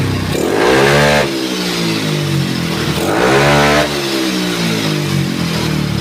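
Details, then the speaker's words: Yamaha Mio bored up to 155cc, standard stroke, 11.5 compression, freshly assembled: smooth even idle with two clean rev blips rising and settling, no knocks or rattles; engine running healthy. "Ya, starternya gampang ya teman-teman, karena kompresinya kecil ya, di 11.5 ya. Coba sekali lagi kita starter. Kondisi mesin halus ya."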